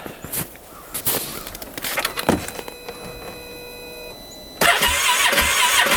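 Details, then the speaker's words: Freshly rebuilt 2015 Polaris Ranger 570 (about an hour on the rebuild), very cold in snow, possibly flooded earlier: a few cranking attempts and clatter, then it catches and settles into a steady, even run with no knocks; runs normally. "finally fired up here sounds pretty good we'll let this temperature get up to about uh 150° before we ride it"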